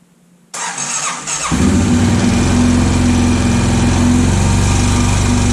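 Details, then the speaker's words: Honda 650 motorcycle, unknown year, brought in as a non-runner, fitted with aftermarket performance coils and Dyna ignition; starter whirs, engine catches into a fast loud clatter about four times a second; crank or heavy piston slap suspected, rattle later stopped, slight smoke. "that don't sound good what the hell that's not good at all sounds like it's the crank the Piston's got a ton of slap"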